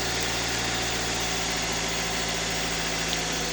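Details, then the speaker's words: Toyota 1NZ engine with hydraulic lifters, rebuilt, 5W30 synthetic oil, restarted warm after sitting about an hour to an hour and a half: fast, busy ticking clatter over steady idle, appeared gradually after rebuild; valve clatter on start-up, cause unknown. "ездил недавно машина стоит часа час наверное Может полтора двигатель ещё не остыл и вот при запуске гремят клапана что что может быть за хрень"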